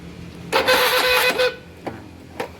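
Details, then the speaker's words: Honda Beat carburetor scooter that only clicks when starting: starter motor tested on direct power gives a quick, even whir then light clicks; battery and starter motor are good, so the fault lies elsewhere. "Mari kita cek dinamo startnya dulu. Dinamo startnya bagus."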